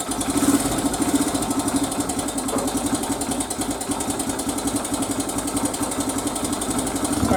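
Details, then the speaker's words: 2002 Honda XR100R single, first start after sitting all winter: fast, even light ticking over the idle, judged to be a loose cam (timing) chain rather than the valves, before timing chain adjustment. "hear that kick guys that's that ticking i'm talking about right so that must be the uh cam chain because it's definitely not the valve"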